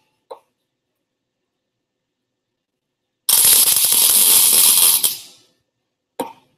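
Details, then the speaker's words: MIG welder tack during custom motorcycle fabrication: a steady, even frying hiss under two seconds, the sound of the arc fully penetrating the metal; a good weld. "make sure you're penetrating the metal all the way through that's the sound you want to hear that's that's working for us right there"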